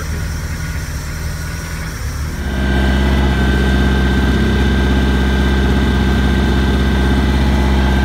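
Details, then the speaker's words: Bayliner 175 boat engine started after 7+ months in storage: catches after a couple of seconds, then steady even low rumble with no knocks or misses; oil pressure up, water pumping out back, idling normally. "Also, you know, your voltage and your oil pressure. But also, make sure you're pumping water out back. Very good. That at least lets me know that the water pump's working, or the impeller's"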